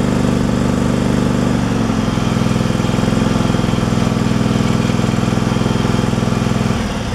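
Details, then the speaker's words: Craftsman Pro small engine after fitting a new carburetor and a 4.5mm gasket spacer to free the throttle linkage, air filter off: steady even drone with no surging; surge fixed, running smoothly. "it sounds like it's running pretty smooth where it's at so all right it's not surging"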